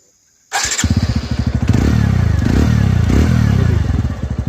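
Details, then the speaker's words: 2021 TVS Radeon BS6 motorcycle: starts quickly and settles into even, steady thump with no metallic clanking (khan-khan) noise it previously made; sounds healthy now. "अभी कोई भी songs खराब नहीं आ रहा है मतलब इंजन में जो खन खन खन खन का जो आवाज जाता है वह अभी नहीं आ रहा है भाई लोग"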